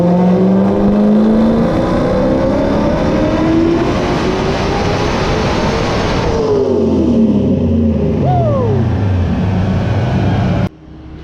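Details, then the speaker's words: 1993 Cobra with a Coyote swap and 91mm turbo on the dyno, new spark plugs, 14 psi commanded with 9 psi made, less aggressive timing, about 668 hp. Strong, smooth wide-open-throttle pull rising steadily with no breakup, then a clean lift-off: normal. "The new plugs definitely did their job. So that last pull, it was commanded 14 psi on the dome. It made 9 psi, and power wise I think it put down 668."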